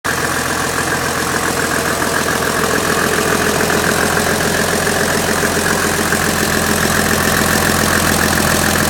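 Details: Mercedes OM606 diesel being swapped into a W463: hard start, lots of smoke, idling with uneven lumpy beat about three or four pulses a second; rough running, cause not identified.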